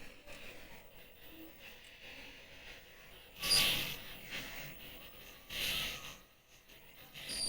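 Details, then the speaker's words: 1970s Delco GM truck radio from a Chevy C10, first bench power-up before repair and Bluetooth mod, drawing about 1.2 A: irregular crackling hiss in bursts with faint high squeals; it has life but a noisy audio stage, cause not confirmed. "I'm going to turn off my microphone uh filters and you can hear that static along with me noise suppression off"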